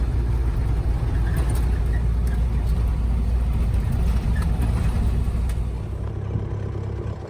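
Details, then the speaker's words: Scout towing a teardrop trailer on the Denali Highway: loud deep rumble with rough uneven puffing, apparently exhaust blowing past a failed gasket where the exhaust pipe joins the manifold. "well as you can hear behind me first mishap of the trip i believe i have blown out the gasket for the manifold not one of the manifold the exhaust pipe where it connects to the manifold very loud"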